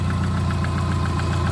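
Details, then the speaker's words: 1989 Subaru GL with swapped-in EJ251 engine at idle, after a bad coil on cylinder four was replaced: even, steady idle with a regular pulse and no misses or stumbles; all four cylinders firing and running smoothly. "Yep. Now she's running real good."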